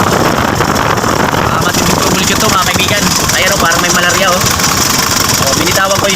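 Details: Mitsubishi L300 FB, 4D56 diesel, low power and stalling, not smoky: lumpy, stumbling idle clatter that never settles; weak fuel feed pump suspected, fuel pump assembly the problem.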